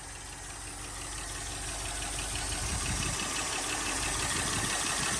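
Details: Toyota LN65 Hilux 253 V8 just started after a decade sitting, quiet exhaust at even idle with busy top-end ticking; valve train noise blamed on long storage.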